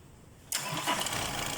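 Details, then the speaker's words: 2023 Isuzu D-Max 4JJ3 diesel, previously no crank no start, after tightening loose starter relay contacts: silence, then the starter catches and the diesel fires straight into a steady, even run; clean start, fault was loose starter relay. "So yun lang ang naging diperensya mga bro kung bakit hindi siya ano nagte-trigger sa susian dahil losose contact ang ating ano starter relay."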